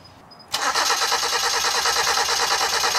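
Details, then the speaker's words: Ford Festiva immobilized for three years, just after a fuel pump replacement, running on possibly three-year-old gas. About 2.5 seconds of whirring starter cranking at around three beats a second, then it stops without firing: crank, no start. "she doesn't start just yet"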